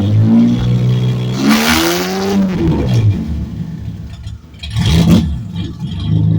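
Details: 1970 Ford Torino turbo inline six, cutout cap off and cutout open on restart after cooling a few minutes: deep loud rumble swelling with each throttle blip and dropping between, loud open unmuffled exhaust.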